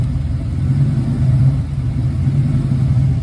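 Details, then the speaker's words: 1992 Nite truck 5.0 V8 after fixing an intake gasket vacuum leak and setting timing: deep low rumble at idle with slow uneven rise and fall, a noticeable 5.0 truck lope the owner wants gone. "Actually sound 10 times better. Got the timing set. Just got to get rid of this terrible 5.0 truck lope that I absolutely"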